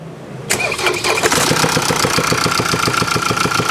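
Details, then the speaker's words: Diesel engine at cold start settling into a sharp metallic tick, about three or four per second at idle, clearly over the diesel clatter; a sound of imminent engine death with no warning light, caused by failed cam follower bearings. "소리가 잘 들리십니까 복 예이 소리가 들리시면 어 엔진 사망 직전의 소리입니다 그러니까 반드시 가까운 곳으로 가야 됩니다"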